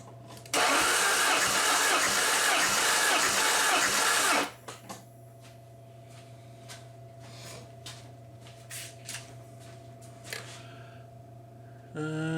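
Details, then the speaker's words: 1994 Saab 9000 compression test, about four seconds of even, steady cranking with no stumbles; gauge climbs to about 215 psi where it should be after reading 0 psi on cylinder #2 the night before, a false alarm. Normal compression. "Yeah, we're about 215 where it should be."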